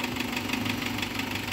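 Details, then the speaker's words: Isuzu Trooper with the 4JX1 diesel at idle: a steady sharp knock about six times a second over the diesel clatter, with no blow-by. The scan tool could not connect, so manual assessment suspects an internal cause. "may kakaibang knocking sound ngayon i-identify natin kung saan nanggagaling kung saan nanggagaling yung knocking sound"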